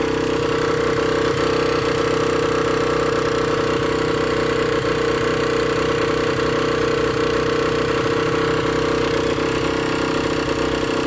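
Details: Engine with AM6 engine at idle: steady idle with a constant whine over an uneven rattling putter; abnormal noise, cause unclear.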